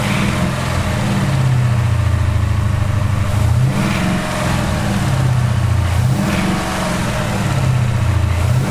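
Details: 2018 Ford Mustang GT 5.0 V8, slightly warmed up, idling with blips: a light clattering typewriter-like rattle underneath. A Liqui Moly oil additive is the fix offered.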